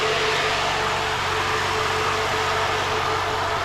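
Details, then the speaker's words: Rebuilt RB30 engine in a Z32 300ZX, first start after earlier vacuum leak and a nasty-sounding starter motor: quiet, even idle with smooth steady low pulse, no knocks or ticks; running healthy. "now it's sounding good that's sick it's actually hell quiet Al sounds good back here"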